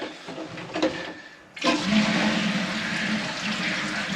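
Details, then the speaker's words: Barn toilet, test flush after drying everything; earlier water had come from the flush pipe at the back: a clean rush of water settling into a steady refill with no drips or spurts. Normal flush. "i've just flushed the whole lot well assuming it's all right out there it's all right in"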